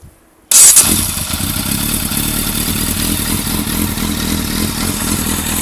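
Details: Yamaha Fazer FZS600 four-cylinder motorcycle idles with a low, uneven beat instead of a smooth hum: rough idle, cause unknown.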